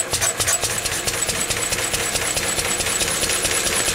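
Even, rapid chuffing beat at a steady speed with no misses or stumbles; the old stationary engine runs fine.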